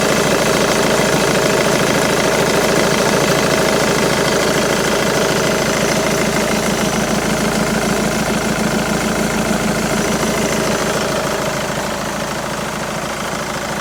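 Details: Jaguar X-Type 2.2 diesel, engine code QJBA, 155 hp: diesel idle with steady, fairly regular knock about three per second over the clatter, appearing when the A/C is switched on.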